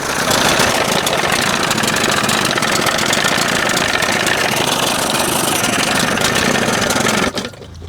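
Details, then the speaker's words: 1981 Evinrude 20 HP outboard, not yet warmed up, timing just past the second mark: rough idle with a fast, uneven tip-tip-tip over the exhaust and vibration; possible exhaust leak suspected, timing to be checked. "You hearing it going tip, tip, tip, tip? Almost sounds like there's a freaking leak, exhaust leak or something."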